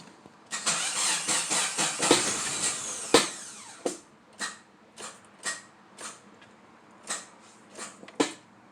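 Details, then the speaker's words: Tracker, hard to start with the owner suspecting a failing alternator: a weak, sluggish crank for a few seconds, then only scattered single turns about once a second because the battery is too low to turn the engine. "Alright, so we're having a power issue. Most likely it's the alternator."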